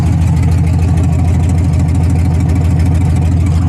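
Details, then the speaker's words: S10 street truck with an LS V8 swap and straight headers, first start, idling in neutral: deep, smooth, even rumble, surprisingly quiet, with no misses. Sounds like it is running on all cylinders; normal idle. "Whoa, that is quiet. It sounds like it is. That's straight headers and it is quiet."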